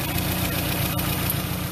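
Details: Engine after replacing worn ignition wires with new ones: low, steady rumble with no misses or ticks, quiet even idle; normal idle.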